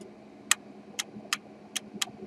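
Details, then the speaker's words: Intermittent clacks from a DS18 SLC-X1150.2 car audio amplifier under repair: about five sharp, dry clacks at uneven gaps over a quiet hiss, returning as the part warms; a component is suspected faulty and is then replaced. "revient doucement tout doucement on entend le claque qui revient serait celui qui soit qui soit malade voà vous voyez bon il est où notre composant"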